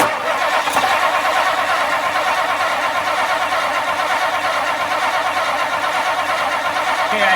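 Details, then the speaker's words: 1959 Lincoln crank, no-start: starter churns steadily for several seconds without catching. Fuel inlet line empty with no pressure; pump blowing but not sucking. Suspected bad fuel pump backflow valve, stuck inlet-side valve, or added inline fuel filter. "my finger over it while you were cranking right and I can feel it attempting to pump I Wonder If the the back flow valve is bad which would still give us a bad Fel pump no matter what"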